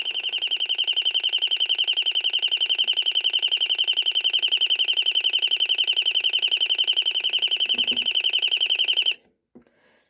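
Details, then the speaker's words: Royal smoke, gas and fire alarm, speaker-driven (not electromechanical or piezo), estimated late 1970s–1980s: fast even warbling chirp about 220 pulses a minute, high and piercing, like a burglar alarm with a bird-like flock trill; sounding normally. "So, it sounds like a security a burglar alarm, but it does have the bird sound to it. It sounds like a flock of birds, honestly."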